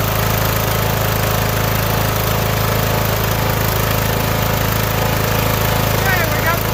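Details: Mower started on choke: an even, steady small-engine putter of about 160 beats a minute, no misses or knocks, running cleanly on its own gas tank.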